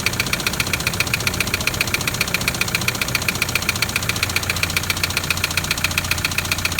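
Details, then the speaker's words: Toyota Land Cruiser LC120 diesel at idle: sharp, even metallic tapping near four per second above the engine note; loud knock believed to be piston tapping the head, possibly cracked pistons, catastrophic engine failure from neglected maintenance. "so with this one i heard the same noise straight away you know there's a number of things it could be but that loud tapping i straight away believe to be the piston tapping on the head"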